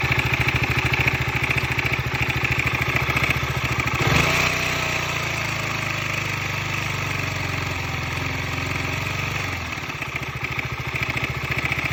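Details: 2015 KTM 125 Duke, 26,000 km, very loud dull clatter at idle on every firing stroke; replacing the timing chain tensioner cured it.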